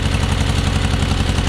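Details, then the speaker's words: John Deere 420 garden tractor, warm after driving, idling: lopsided chugging beat with one firing pulse missing each cycle; running on one cylinder, pulling a plug wire gives no change, cause not yet found. "Now I want you to notice something. You hear anything missing?"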